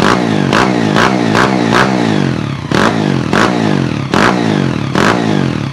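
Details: Honda EX5 single-cylinder engine rebuilt with 54 mm block, 102 mm crankshaft and Redleo 4-valve head, CJ Epo exhaust, DY90 frame: revs blip up and fall back repeatedly, rising cleanly with no knocks or rattles; healthy fresh build.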